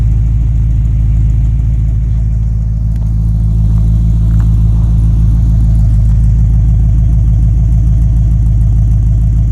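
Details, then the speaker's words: Base 1974 Corvette C3 L48 V8 after installing new Corvette Central Magnaflow exhaust: deep steady rumble with mild revving, no rattles, leaks or blowing; healthy exhaust. "so that's it it's all installed and here is the final sound after the magnaflow exhaust is installed"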